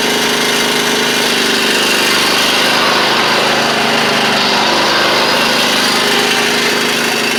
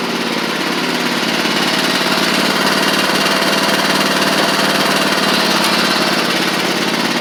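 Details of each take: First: Huskee Supreme riding mower, deck running with guards installed, spindles without grease fittings; steady engine drone under loud gritty whirring roar from deck; left spindle later found to be the noisy one. Worn deck spindle bearing. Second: Huskee Supreme riding mower after drive pulley replaced, driving: steady even engine drone with buzzy rattle, no surging or belt squeal; slight residual smoke on old engine, drives normally.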